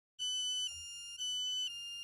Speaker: Skupaj z zvočnim opozorilom se bo pojavil prikaz z opozorilom za bolnika. Slišali boste 2 seriji piskov po 5 sekund, nato pa bo sledil 2-sekundni premor, kot lahko slišite tukaj.